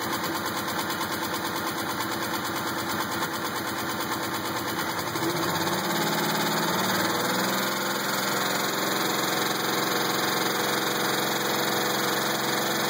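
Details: 2000 Pontiac Grand Prix GTP at idle: a regular tapping knock a couple of times a second, unchanged as revs settle. Owner doubts a rod or the flexplate and suspects a spring; undetermined.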